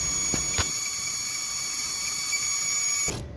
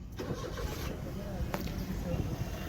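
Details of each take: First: Maruti Suzuki Alto idling with belts removed: steady high-pitched chirping whistle and high rpm from air sucked in at an intake manifold leak; fixed by sealing the manifold with bond. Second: Maruti Suzuki Alto after its manifold was resealed to cure a loud chirping noise and high rpm, with the belt refitted: the engine catches and settles into an even, steady idle with no chirp or ticking over the low rumble. Problem solved, sounds healthy.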